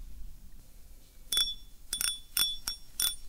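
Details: Fishing reel clicker after repair, broken clicker fixed with glue; spool turned by hand. Crisp, bright metallic clicks in short bursts; clicker engages cleanly and works properly.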